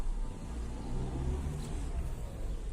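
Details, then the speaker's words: Lada Vesta Cross at about 58,000–60,000 km reversing slowly and then faster after rear brake pad replacement; only a soft low rumble, no squeal or scraping from the rear brakes, which had squeaked when reversing. "поменял колодки задние еду Сейчас специально попробую ничего не скрипит задний ход тихонечко никакого скрипа еще раз пробуем задний ход побыстрее нет ничего"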